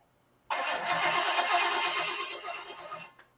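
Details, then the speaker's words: Freshly rebuilt Chevy small block 350, first start with open pipes and carb primed: fires instantly, races at a fast busy idle; timing off, RPMs seemingly too high, will back it off; water pump possibly leaking. "So, timing was off and I just tested it and I fired it and it went, but I think the RPMs are a little too high."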